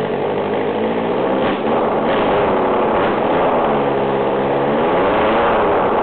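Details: Yamaha FZR engine, bench-run out of the bike after sitting behind a shed, fuel primed: runs on its own, picks up cleanly through several revs, no knocking or rattle; normal running.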